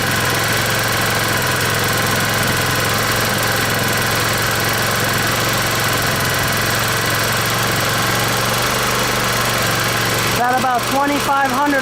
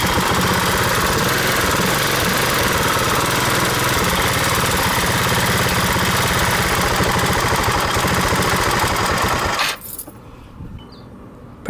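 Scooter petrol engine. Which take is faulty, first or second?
second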